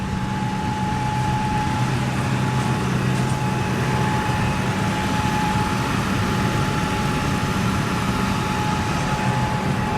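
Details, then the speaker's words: Old V8 truck's first start of spring after sitting: even, deep idle with a steady low rumble and no misses or knocks; under 2 minutes after start it already runs smoothly. "It's like not even 2 minutes, it's already starting to run smooth. I guess like the old gas and the injectors are kind of a little bit cruddy."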